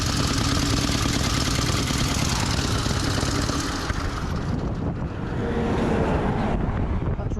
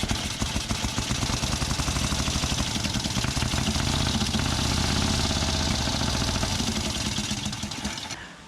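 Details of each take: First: V-twin motorcycle on a pre-1919 rally, rocker cover off after running badly: rough, uneven running with a loud irregular clatter from the front cylinder top end; something bad has happened inside, cause unknown. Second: Pre-1919 rally motorcycle, old twin, test-started just after an engine swap following engine failure: fires and runs with a loose, uneven beat of about four pops a second, fading at shutdown; sounds healthy.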